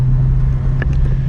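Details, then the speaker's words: Just-bought 2000 Porsche 911 Carrera 2 under way: steady deep exhaust drone, even low rumble, no knocks or rattles; exhaust sounds good. Car also has a slight idle shake, fluctuating idle and something loose in the front end. "The exhaust sounds good."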